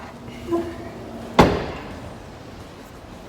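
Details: 2008 Ford Focus tailgate being closed after fitting a new lock to fix a boot that would not open, with the tailgate panel still off: one solid thud, catching first time with no rattle. The latch engages properly.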